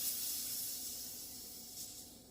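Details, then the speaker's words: Brief soft hiss fading within about two seconds as excess CO2 pressure is vented from the adapter after filling a SodaStream cylinder (DIY refill), valve closed; normal. "Should give a little psh, I believe. Can't remember. Nope. Just a little hiss. That's all it gave us."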